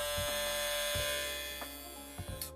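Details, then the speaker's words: Kemei KM-1767 magnetic-motor hair clipper rated 9,000 rpm, new out of box: loud, steady high-pitched buzz with a hard edge and clicks when handled, around 60 to 70 decibels, with a strange acoustic; exact source unclear. "ruidoso también es un poco ruidoso eh muchos decibeles arriba de los 60 prácticamente 70 decibeles"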